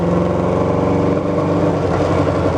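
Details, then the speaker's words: Kawasaki 550 motorcycle on road test under load, exhaust beat stumbling, coughing and farting as one or maybe two cylinders miss; severe miss worse when cold with lack of power. "okay it's clearly got a cylinder or maybe even two that are missing"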